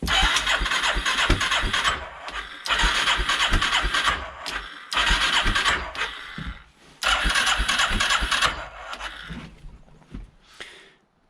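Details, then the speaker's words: 1989 Yamaha Moto4 350 single-cylinder ATV, brand-new carburetor, choke out, cranking on the starter: several bursts of uneven cranking with ragged firing, sharp pops and fuel smell; a misfiring, backfiring no-start. "really what we're hearing and i can smell some fuel spitting out there but we're hearing a misfire a little bit of a backfire"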